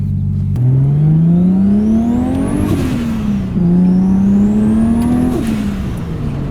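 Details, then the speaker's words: Nissan 180SX driving after new differential installed to cure a whine: engine pulls cleanly through the gears, even at each shift, no whine, crunches or clunks; gearbox smooth, whine gone, old diff was the cause; normal drive. "No noises, everything's sounding good. Super stoked about that. Gearbox sounds good too. No crunches, feels really smooth as well."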